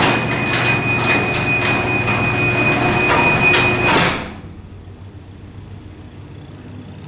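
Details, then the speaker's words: Garage door opener closing via phone app: motor rumble with short evenly spaced beeps, about two and a half per second, until it stops: normal remote-close warning. "i love it when it does that when it beats like that it reminds me of elevator doors that beep"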